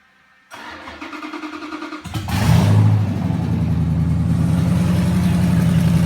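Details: Junkyard 2009 5.7 Hemi V8, 80K miles, on run stand with Hotwire harness, used 2009 Challenger PCM, fresh oil, return-style fuel rails, primed: brief crank, catches into steady even low idle, no knocks or misses.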